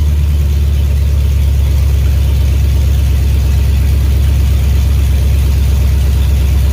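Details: 2003 GMC Yukon Denali 6.0L LS V8, destined for a Chevy K20 swap, running with no exhaust and cats removed: deep, loud, even burble with steady firing pulses and no knocks or ticks; healthy.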